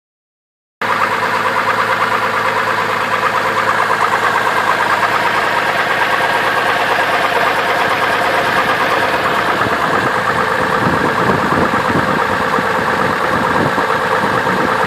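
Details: 2002 Chevrolet Trailblazer petrol engine idling with belt removed to rule out water pump: steady deep knock about three times a second; suspected rod knock.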